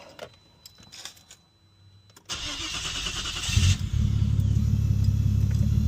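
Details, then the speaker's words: Nissan Stagea after replacing the front fuel line with proper SAE-rated line: quick crank catches and settles into a smooth, steady low idle with no misses and no fuel leaks; starts and runs normally. "No fuel leaks, so we're good. And the proper fuel line is now in."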